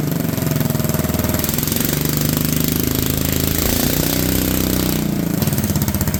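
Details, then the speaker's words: Honda Odyssey go-kart with a cheap used single-cylinder engine, supposedly first start in years, idling: rapid, choppy, uneven chugging that sags as it loads up; the belt is a little too wide, so the clutch engages at idle. "well it does run my fear was correct though that belt is just a little wide on this thing"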